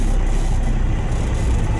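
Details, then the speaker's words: JCB 3CX Sitemaster backhoe with 4-speed manual gearbox, recorded in the cab while driving: deep heavy droning boom with little high end; cab panels drumming in resonance with the diesel. "drumming is awful. You can hear this resonance."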